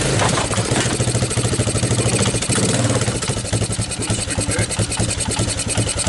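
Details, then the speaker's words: 1985 Suzuki Quadrunner LT230 shaft-drive barn-find ATV idling on starting fluid, firing about three times a second with a ragged uneven beat; rough idle, owner suspects a gummed-up carburetor not pulling gas properly. "Oh, now you're gonna idle."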